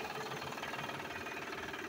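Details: Van knocks quickly, lightly and evenly over a thin engine note when accelerating. The noise seems to come from the front drive. It started recently, oil changed last month; cause suspected, not confirmed.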